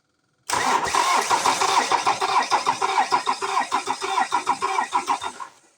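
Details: 2007 Ford Transit Mk7 2.2 TDCi diesel after injector replacement, before coding and fuel relearn: cranks and catches, then lumpy uneven pulses about three a second, sagging and stalling within five seconds.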